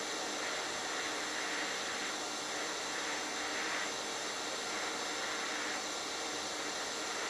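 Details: HitBox 200A dual-voltage 110/220 TIG/stick welder set at 70 amps, fusion pass with a sharp tungsten: even, unbroken hiss with no pops or sputter; stable, consistent TIG arc.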